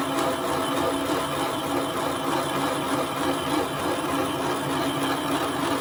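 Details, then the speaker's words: Boring vise jaws during a Kasto EBS 400 power hacksaw rebuild, boring head at 200 RPM with auto down-feed at 0.003 inch per revolution: a steady machining hum with dense, rough cutting chatter. The feed was a bit aggressive. "I might slow that feed down. That feed was a bit aggressive."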